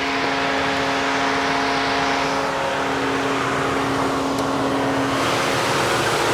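Engine catches and holds a steady note with a clear hum over the exhaust rush, running evenly without stalling.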